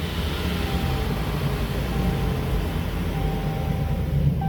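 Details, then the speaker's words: Possibly 2016 Chrysler 200, FWD no PTU, wheels spinning in drive, isolation test showed not engine (quiet in neutral): loud steady low growl; noise internal to the transmission, likely bearing or gear. "That noise is coming from internal to the transmission, guys."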